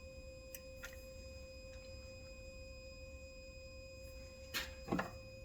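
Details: International 9200 truck being stripped, with its cab wiring harness and grounds being disconnected while the batteries were still connected: a steady, unchanging high electronic warning tone with handling clicks, probably from inside the cab. Cause unconfirmed.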